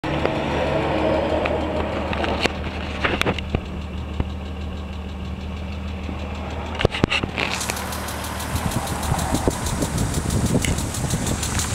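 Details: 1995 BMW M3 at steady idle: light, fast irregular tapping over the engine note, then a louder hiss; suspected lifter tick, worse after switching to 20W-50 oil; not confirmed.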